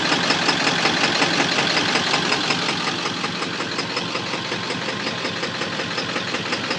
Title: Engine knock 7.3